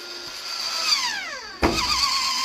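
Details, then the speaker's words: New 2024 Winnebago Solis 59P (Ram ProMaster 2500) after 3000 km, roof vent lid opened without fan running: motor whirs with falling pitch, sharp pop as lid frees, then steady whir; lid sticking, owner suspects something gluing it down. "okay so the issue here that I have I think that something somewhere is gluing this down and uh I would like to know if it's possible to have this adjusted also"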